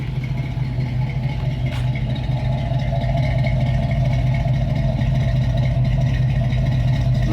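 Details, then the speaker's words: 1981 Pontiac Trans Am V8 after leak repairs and reassembly, temperature around 200, with condensation dripping from the exhaust. Deep, steady idle burble firing evenly without stumbles or rattles; healthy. "Condensation. Sounding good, she's looking good. So we're gonna go for a little test drive."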